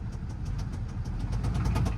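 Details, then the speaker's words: Duramax diesel pickup at an auction, listed as no-start, jump-started: rough low idle with sharp, evenly spaced knocks, about seven a second, no smoke; cause unknown. "oh no it's not smoking but she is definitely someone's knocking and nobody's home"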